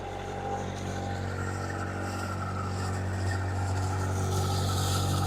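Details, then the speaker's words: Diesel, unrun for a while, in forward gear at 1500 rpm while warming, oil pressure just over 50, alternator charging: steady, even thrum with no knocks or misses. Normal running at 1500 rpm. "The oil pressure is up to a little bit over 50. I'm running at 1500 RPM, and the water temperature"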